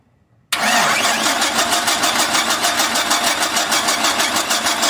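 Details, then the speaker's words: 1996–2003 Chevrolet Silverado/Sierra/Tahoe/Suburban (4.3/5.0/5.7) no-start: starter turns engine over about three beats a second, never catches; no spark at plugs, and no power found at the ignition key wire while cranking. "ah caray no tengo corriente no tengo corriente en marcha"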